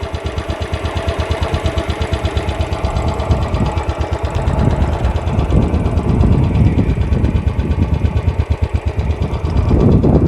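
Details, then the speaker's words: Second-hand Royal Enfield Bullet checked before purchase: even steady idle thump, no ticking from the top end and no knocking from the bottom end; normal engine sound worth recording for comparison. "बाकी हा जो इंजिनचा sound आहे तो एकदम normal आहे तर तो तुम्ही रेकॉर्ड करून ठेवा जेणेकरून तुम्हाला कम्पेअर करता येईल बघू शकता कोणत्याही प्रकारचा आवाज नाहीये खालती पण नाही आणि वरती सुद्धा"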